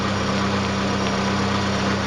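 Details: Chevrolet Niva engine after cylinder-head knock repair (hydraulic lifters replaced, compression checked 13.5 and about 9 bar): steady even idle with a firm low hum and no ticking or knocking from the head; normal healthy idle.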